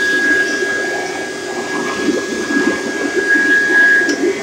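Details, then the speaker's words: Bissell upright vacuum: thin, steady high squeal over its usual rushing hum, occurring at times; vacuum motor squeal, cause unconfirmed. "even times of time you'll hear that high squealing noise on my vacuum"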